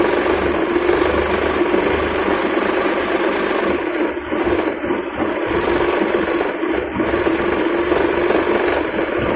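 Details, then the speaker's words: Maruti 800 (1997) carburettor petrol engine at idle after adjusting the carburettor fuel adjustment screw; steady low hum without shaking, light rattling, engine now smooth without vibration. "பார்த்தீங்கன்னா engine vibration இல்லாமல் ஸ்மூத்தாக இருக்கும்."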